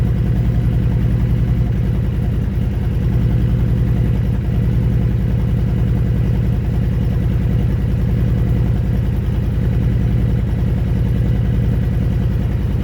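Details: Honda Fury V-twin motorcycle with 727 miles, sat 7 years on a farm: low idle with loping beat that wavers and stumbles; idle not consistent.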